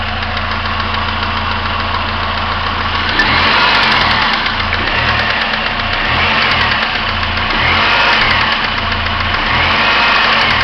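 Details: 1999 Pontiac Grand Am SE, warm idle: repeated uneven knocking about three or four per second from in or around the engine. It is absent when cold and fades with revs; owner unsure if timing chain or rod.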